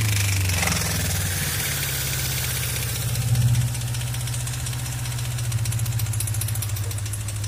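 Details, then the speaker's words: Suzuki Katana GSX 600 four idling with a small blip: uneven light tapping in step with the engine, more on the right side; owner suspects cylinder head knock, valve adjustment or camshaft beds, not confirmed. "Ну, по всей видимости, стук идет из головки. Возможно, пора регулировать клапана или же смотреть по стеле распредвалов."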